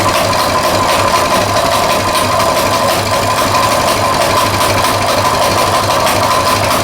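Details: Colman 196cc mini bike, a customer return bought with a locked-up motor, now restarted and idling. The small single-cylinder engine holds a steady, even idle with mechanical clatter but no rod knock, so it sounds okay.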